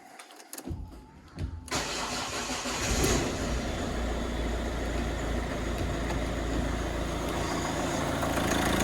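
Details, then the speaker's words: Ford Focus diesel after cam cover refit and turbo oil-feed check: quiet cranking under two seconds, then catches and settles to a steady, even idle clatter; no leaks, no dash or oil pressure lights, running really nice. "so that's good no leaks running really nice really nice for a diesel"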